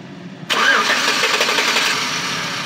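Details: 2007-2012 Chevy Tahoe no-start, starting fluid sprayed into throttle body: engine catches abruptly, runs roughly a couple of seconds then dies; no fuel delivery, U100 lost communication with PCM/ECM, ECM fault.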